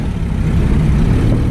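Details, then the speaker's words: Honda with blown head gasket after head gasket sealer treatment, on third heat cycle: deep lumpy uneven idle running on only two cylinders, with the two cylinders pushing combustion pressure into the cooling system disconnected and their plugs pulled. "all right so I'm still running on two cylinders I don't know if that stuff's any good but I know those cylinders that I have disconnected and I pulled the plugs"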